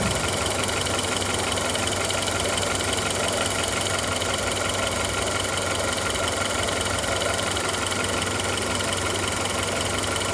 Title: Audi A2 1.4 AUA Ticking Noise